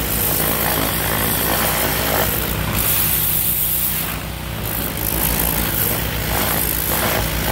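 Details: Kohler SH265 6.5 HP single-cylinder engine newly re-powering an old pressure washer (replacing weak Honda), test run under pump load; strong steady drone at even pitch with slight dip midway; normal running.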